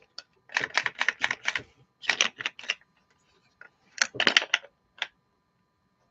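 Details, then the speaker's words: Mercedes CLK LM slot car with a Sloting Plus guide: quick clusters of sharp, dry ticking at about five per second as something loose rattles inside and may catch. Cause not yet found. "something rattling around there it's going to it's going to catch I have to yeah that's going to cause problems I have to sort that out"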